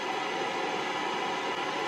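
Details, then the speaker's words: Tube-type superregenerative VHF aircraft receiver with no station tuned: a constant, even rushing hiss with no tone or voice, the normal super-regen noise. A squelch circuit is planned, and a simple 1k resistor was found to mute it. "so that's going to be my plan for my squelch circuit rather than listening to this noise all the time"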